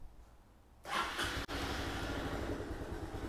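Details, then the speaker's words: 2006 Honda Big Ruckus scooter, cold start after a fuel filter change: quiet, then a quick catch and straight into an even, steady idle; clean healthy start. "we go everything sounds good"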